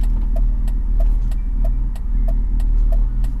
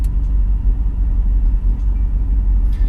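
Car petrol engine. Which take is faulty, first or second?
first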